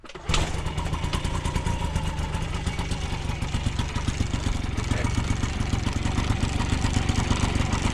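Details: 1980 Yamaha QT50 two-stroke moped, first start in eight years, on premix fuel: fast steady buzz that never drops to idle. A sticking throttle cable holds it open; the cable was replaced.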